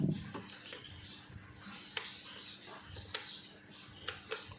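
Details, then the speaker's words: Miako fan motor hums steadily without spinning, cover vibrating, with light clicks and rubbing; it ran slowly before, then was forced and died, and it now turns only weakly when spun by hand; failed run capacitor. "Nah untuk di sini ya mesinnya dengung dengung ya saya putar-putar jadi badan covernya ini bergetar kita pakai tangan teman-teman"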